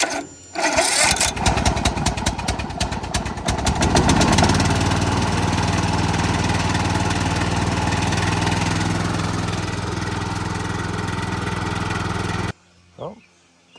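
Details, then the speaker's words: Cub Cadet lawn mower single-cylinder engine after motor work; catches after brief crank and runs a steady, even drone, no knocks or misses. Owner suspects smoke is debris burning off after sitting. Normal running. "it is. It does run."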